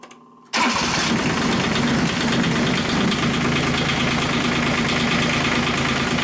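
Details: Kubota G1800 tractor diesel after engine reinstalled (rings possibly worn, radiator repaired, oil plug tightened): cranks briefly, catches at once and settles into an even clatter with no knocks or misses; normal start and idle.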